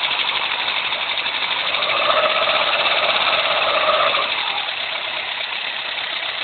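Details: Renault Clio engine running: raspy, uneven ticking rattle over a thin hiss, roughly three beats a second; abnormal engine noise, cause unclear.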